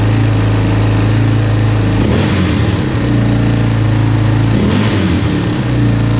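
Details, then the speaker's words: 2001 Yamaha Warrior 350 ATV, bought unheard, back running after carburetor work and stator replacement; single-cylinder fires and settles into a steady, even thump with a couple of quick throttle blips, running clean; normal running. "We get this Yamaha 350 back up and running with a little carburetor work. She's going to be a screamer for sure."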